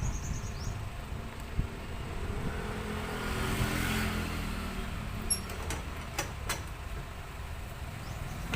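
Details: Soluna, after a no-start with no spark at the plug, traced to a failed EFI relay; after replacing the relay the engine fires and settles into a steady even run, normal start.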